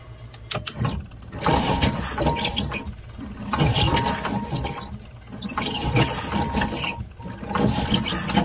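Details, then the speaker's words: Generator with the fuel pump confirmed working; repeated cranking bursts with short pauses, catching briefly but never running on its own, so not seized but won't start; solenoid suspected, not confirmed. "okay it's trying to start okay well okay so the generator generator is not seized"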